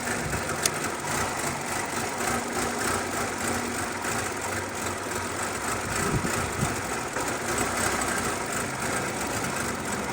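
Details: 2014 Nissan Altima with rough idle and stalling, codes P0011/P0014: uneven, lumpy idle with occasional sharp pops. Exhaust valve timing control code returned; stuck-open exhaust valve timing control valve upsetting valve timing.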